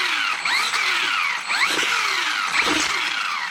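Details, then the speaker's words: Hosim X08 brushless 1/10 RC truck: high motor whine sweeping up and down; when coasting and throttle is reapplied the ESC locks onto the brake, causing sudden jerks and stops. "see that see that jerk that it does because what it's doing is when I go ahead and pull on the trigger see when it's coasting and I go to give it throttle again it locks onto the brake and then it causes an issue"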